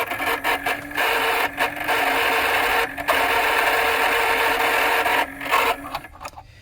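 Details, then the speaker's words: 1950s Noma battery-powered toy station with two batteries installed: its small motor whirs steadily with a dry, raspy, unlubricated sound and brief dropouts, and never shuts off as it should. "so I hear a motor that's extremely dry I also don't hear it shutting off"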